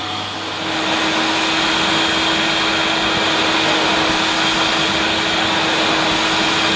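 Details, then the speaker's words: 1988 Hoover Compact Electronic S3462 vacuum at maximum power on carpet: steady high-pitched squeal over an even motor roar; owner suspects a rubber seal, not confirmed. "still makes a little bit of a little bit of a squeal as if there's a mouse trapped inside let's hope not I think it's some sort of Rubber seal or something that's causing a little fart noise"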